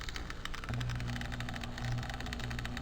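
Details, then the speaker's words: Old dry fish tank filter pump, after being rinsed in cold water and plugged back in: faint steady low mains hum under light crackle, constant and unbroken; the pump runs normally with nothing wrong. "you can hear it [ __ ] things running so what i've got on my hands is there's nothing wrong with this damn machine"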